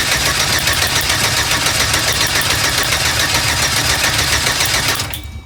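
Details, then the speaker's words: 4.3L Vortec V6 after engine swap (P0301 cylinder 1 misfire, zero compression on old engine) cranks about 3.5 beats per second for five seconds without catching; no spark because the ignition coil plug was left unplugged. "what am I oh I see I know why um yeah the spark the coil plug is not connected that's why it won't start"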